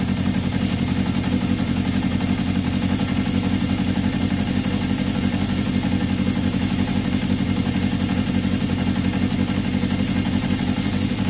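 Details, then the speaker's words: 1981 Yamaha XJ550 with intermittent fault, brake-fluid spray test for intake air leaks: steady four-cylinder idle, note never rises or falls during spraying, so no air leak; normal idle. "so definitely nothing to do with airflow there guys you could hear the engine no it didn't change at all so no no it didn't rise it didn't fall"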